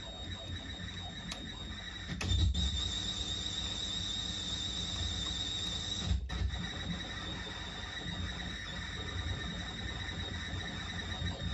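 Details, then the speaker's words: Heathkit AJ-41 receiver of unknown condition being powered up slowly on a variable AC supply: thin steady high squeal over hiss, loud hum and crackles on AM reception. Arcing components are suspected; the source is not yet found. "okay on am we have even worst condition very nasty noise"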